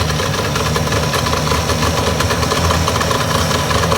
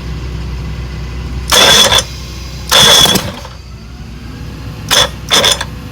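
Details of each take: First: 1962 Johnson 75 hp two-stroke outboard with electromagnetic shift, hard starting, bad reeds suspected, gasket leaking fuel: steady high-idle buzz in warm-up mode with no misses, staying running, idling a little fast. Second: 1962 Johnson 75 hp outboard with electromagnetic shift, after points cleaning: four short cranking bursts, each nearly catching then dying; turns over but won't start, being diagnosed for hard starting (later found bad reeds, timing).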